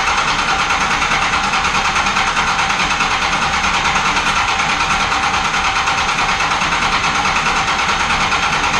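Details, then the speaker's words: Hybrid 5.9/6.7 Cummins diesel swap, first start-up after the build, idling. Even idle with a light regular tick near the top end, about one or two a second, from the front valve cover; builders suspect loose valve lash, not confirmed. "overall it sounds good sounds like we might need a check valve lash again up front there's something in the top of the valve cover that's kind of taken a little bit"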